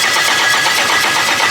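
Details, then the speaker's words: Honda K-series engine, first crank: fast even starter cranking with bright whir, no grinding or clatter, engine turning over freely without firing; starter engagement sounds harsh, likely tight tolerance at the flywheel; building oil pressure. "it cranks there's no weird noises one more time that starter engagement is gnarly"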